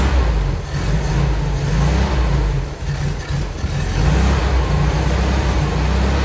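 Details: All-original 1959 VW Beetle air-cooled flat-four, started after repairing the carburetor diaphragm, fed from a gas bottle: deep even rumble with slight wavering; normal idle.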